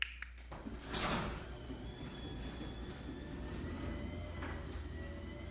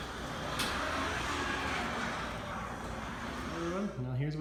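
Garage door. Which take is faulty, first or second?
second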